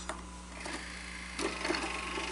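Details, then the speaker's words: Sanyo VTC 7500 Beta HiFi VCR before repair: faint motor hum with slow scratchy whirring and clicks as tape unloads after failing to play; belts halfway working, idler tire completely shot; belts and idlers later replaced. "so the belts are halfway working belts are halfway working but the idler tire is completely shot"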